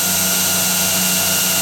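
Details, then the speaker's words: Newly built 2x72 belt grinder running before adjustment: even motor and belt hum at constant pitch, no slap or ticking; belt tracks true and runs smoothly. "stay perfect runs perfect it's in place where I need it if it does drop down a bit you can always adjust it and that so I me do a little tweak"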